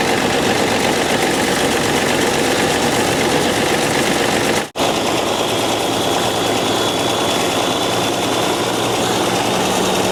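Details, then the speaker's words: 1995 Dodge 12-valve Cummins diesel after injection pump refit: loud, harsh roar holding high and uncontrolled, cut briefly then back. Engine running away. "Okay. Well, we have good and bad news. Good news, it runs. Bad news, it tried to run away from us."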